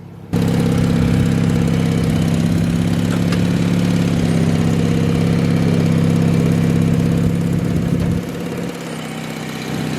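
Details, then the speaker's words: 1986 Murray lawn tractor, about 40 years old, after carburetor repair, mowing grass: small single-cylinder engine holds a steady, even putter under load, then eases down; runs normally. "for a 40some year old mower that cuts grass pretty good."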